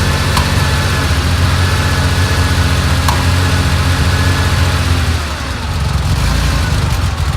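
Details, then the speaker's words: 1970 Porsche 911 T on pre-purchase inspection, first cold start warming at idle: uneven, lumpy rumble with stumbling beats, obvious misfiring plus a deep vibration felt. "you know what if you hear the misfiring that's pretty obvious there too but what's concerning me a little bit is a I feel like a deep vibration as well"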